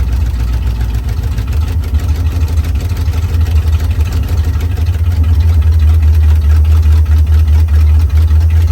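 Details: 1956 Chevy Bel Air 265 V8, just freed from being seized, fed from a boat tank with no radiator fitted: a deep, steady V8 burble holding an even idle on its own with no misses or knocks. Normal idle.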